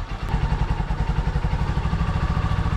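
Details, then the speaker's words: Honda Supremo single-cylinder motorcycle, which has morning hard-starting, cold-started by kickstarter with choke open, throttle untouched: starts at once into a steady low thumping idle, even and unhurried with no misses or knocks; normal cold idle. "Tapos start natin alr yun mga idol umandar agad yung Honda Supremo natin"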